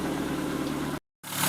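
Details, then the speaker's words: 1997 Renault Twingo 1 at idle after the abnormal engine-bay noise was traced to the alternator and the fault repaired: a steady, even, smooth low hum with no whine or rattle, and no battery warning light. Normal operation. "Et voilà, ça fait un bruit normal une voiture opérationnel."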